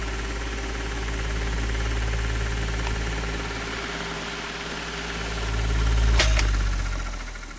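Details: Fan motor with very bad bearings: steady drone with rough scratchy grind and a few sharp scrapes near the end; owner suspects excess end play at rear of fan hub; motor not yet opened.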